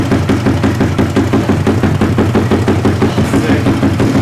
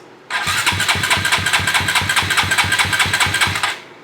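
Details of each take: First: Koso 170cc big bore kit engine (Competition Werkes GP full exhaust, aRacer RCmini ECU) idling after the final top-up, warming to temperature before aRacer tuning: steady, even putter with a crisp regular exhaust beat and no knocks; runs smooth and healthy. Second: Koso 170cc big bore kit engine (Competition Werkes GP full exhaust, aRacer RCmini ECU, new Kitaco catch can) on first start attempt with a borrowed featherweight battery: starter cranks at about five even compression pulses per second for three seconds but never fires; fuel pump suspected unprimed.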